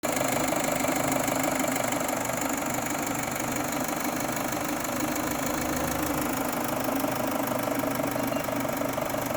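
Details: 2.0T gasoline engine at steady idle with an uneven, rough knocking beat of about three per second over the engine hum; the cause is believed to be the timing belt jumped one tooth.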